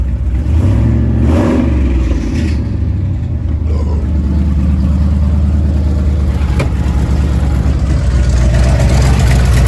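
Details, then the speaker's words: 8.1 Vortec V8 truck: rough, uneven metallic clatter and screeching scraping, about three knocks a second. It clears up with throttle and returns when off the gas. Owner suspects a broken flexplate. "Can you name that noise. I'm not sure what it is. I think it might be a broken flex plate."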